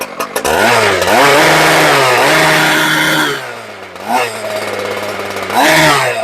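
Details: Husqvarna K970 two-stroke concrete saw, previously non-running, after servicing (fuel filter, primer bulb pumped, started on choke): fires up cleanly, revs up, holds and drops back smoothly with crisp throttle response; running healthy, no other issues.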